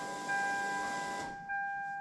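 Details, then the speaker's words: Toyota Supra MK4 at key-on after MegaSquirt-to-ProEFI ECU swap and repair of three fuel pump wires: steady high electric hum from rear of car lasting about a second, a pause, then again; fuel pump priming normally, confirming wiring repaired and pinned correctly. "did you hear the noise in the back of the car yeah the fuel pump came out"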